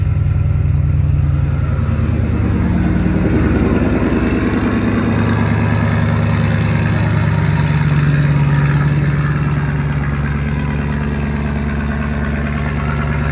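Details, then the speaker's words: Ford Mustang S197 drift car, low on gas: deep, even burble holding a steady idle with a brief light rev and no stumbling; already running a lot better, owner plans a tune. "Well, it's already running a lot better."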